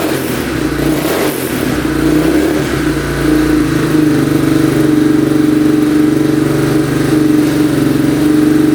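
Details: 2002 Yamaha Warrior 350 single, first run after carb clean and oil change: steady, even beat, revs cleanly with no misses; sounds decent but smokes heavily, owner unsure whether oil burning off in the exhaust or it needs a rebuild.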